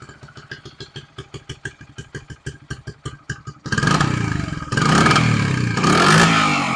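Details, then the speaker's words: 1974 Honda XR75 small single on choke, only float adjusted: lumpy uneven firing about two per second, then surging revs, won't settle to a steady idle; does it every time. "That's what it does every time. So, sucks."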